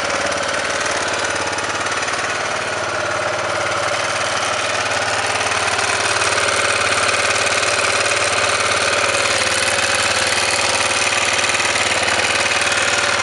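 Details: Honda NX650 single-cylinder with knocking and smoke at idle: sharp, regular knock about three to four times a second over the exhaust; engine knock, cause unclear.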